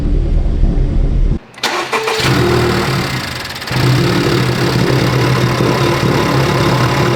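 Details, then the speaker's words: 2019 Honda Civic Type R, wrecked, being rebuilt: it cranks, fires and settles into a lumpy, uneven idle with a hiss of air. The sound matches an earlier cracked intake manifold; vacuum leak at the intake manifold. "we've heard this sound before definitely haven't we on the Black Tie far when it had a cracked intake manifold identical sound all right we know the problem already it is an air leak it's an air leak somewhere on the intake manifold"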